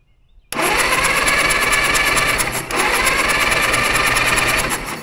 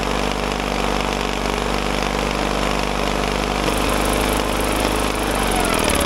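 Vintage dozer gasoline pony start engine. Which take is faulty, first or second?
first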